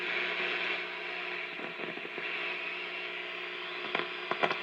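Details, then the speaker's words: RCA 621TS television fed a 1 kHz test tone: instead of a clean tone, weak audio with a faint hissy bed, whistles and chirps from oscillation; volume was intermittent first, voltages and tube sockets in spec. "Should be getting a tone. But we're just getting a lot of whistles and chirps."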